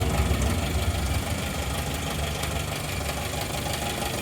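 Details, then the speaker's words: TJ four-cylinder engine at idle: uneven knocking about three times a second over a rough, low idle rumble, with the source hard to pin down and possibly the bottom end. "yeah there's that noise hard to tell where it's coming from do you think it sounds from the top or the bottom yeah maybe it is the bottom"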